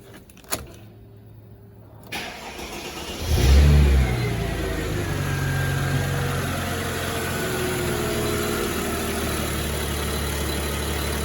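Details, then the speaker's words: 2004 Chrysler Crossfire 3.2 V6, left sitting for a while: clean catch after a brief crank, a short rev flare, then a smooth, quiet, even idle. No rattles, knocks or whining; normal start and idle. "but it sounds all very nice it actually does sound like a nice quiet V6 engine no rattles no knocks no whining noises"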